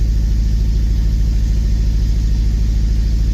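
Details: Honda Civic Si K20 after installing a TVS 1900 supercharger, first start on a freshly reflashed base map, check engine light on, air-fuel ratio 14, no knock; deep lumpy idle pulsing about three beats a second, never settling. Rough idle, cause unconfirmed.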